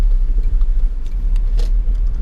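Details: Car just restarted after the no-start was traced to stale, solidified gas: low, even engine rumble with steady loudness and no knocks or misses, running smoothly.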